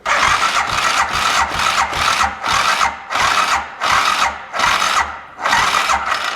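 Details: DS 650 ATV after previous owner's top-end rebuild, on jump pack at wide-open throttle: slow, even cranking with a strong thump each compression stroke but never fires; timing suspected off.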